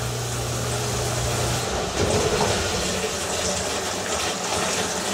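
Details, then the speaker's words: Sump pump after replacing the check valve with a silent check valve: pump hum stops, water swishes back down the pipe with no thump; normal shutoff with no check valve slam. "you could hear that it's awesome though no thump anymore right that's the key here no more thump"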